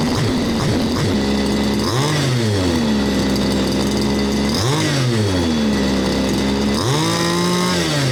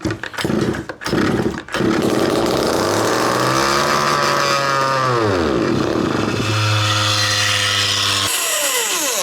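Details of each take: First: Baja 5th-scale RC small two-stroke engine (engine no. 2 of seven from Australia, age unknown), after repair with exhaust fitted, during tuning: steady idle, three quick clean blips rising and falling back to even tick-over; runs smooth, normal. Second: 1/5 scale RC Baja two-stroke, all carburetor needles closed after heavy overfueling: revs sweep up, hold, drop and climb roughly, burning off flooded fuel; cold, about 8°C.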